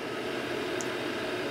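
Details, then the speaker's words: Vehicle heater blower motor at 12 V, after fitting Japanese EZO 625Z (5x16x5 mm) bearings: steady even whoosh with faint constant hum, no rumble or ticking; just a normal fan note, previous vibration noise gone. "it should sound more like this but it does just sound like a fan running note which is what you want"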